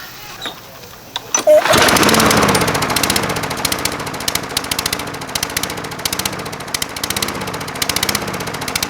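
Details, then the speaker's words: Craftsman 22" mower with Briggs & Stratton 190cc Platinum engine, oil level fine: idles low and surges up and down in slow waves, running super lean from a restricted main jet in the carburetor. "So to me, that sounds like it's not getting enough fuel. If it wasn't getting enough air, like the air filter was clogged, it'd probably be more likely to blow some black smoke because it was getting choked off and running too rich. That sounds like it's running super lean."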